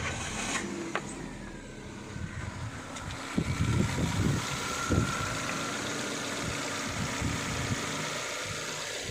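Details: Chevrolet Beat petrol, 143,000 km, with a warm-engine no-start and camshaft position sensor and O2 heater codes (P0342, P0037), charging at 14 volts; even idle, steady low hum, no knocks or misses, a few handling bumps; engine sounds healthy.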